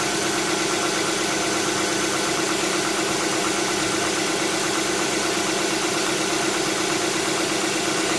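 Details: 2007 Tucson 2.0 16v GLS, cold-start morning noise that disappears after about 10 km: fast, even ticking steady over the idle throughout; top-end tick, mechanic suspects lifters (tuchos), unconfirmed.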